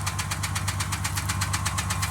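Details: 2003 Jeep TJ whose owner plans to fit a new engine. Sharp, even knocking about seven times a second rides over a steady idle. Internal engine knock.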